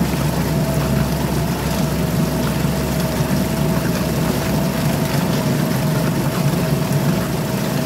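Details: Suzuki DF2.5 2.5 HP outboard, long stored and not starting, after clearing a clogged carburetor jet with wire and air: buzzes at a steady, even pitch with no surging or stumbling; running clean.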